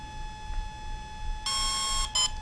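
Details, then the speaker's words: Volcano 30A brushless ESC on a 450 RC helicopter in programming mode: a long steady beep then a short one, the menu tone marking which feature is selectable. "long followed by short at the very beginning of the setup mode those beeps denote which feature that you're going to change"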